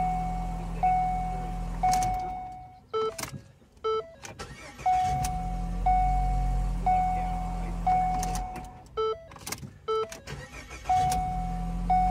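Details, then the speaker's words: 2014 Ford Escape 1.6L turbo just after starter motor replacement: it starts cleanly and settles into a low, even idle with no misses under a repeating chime, confirming the fix. "right that is a confirmed fix"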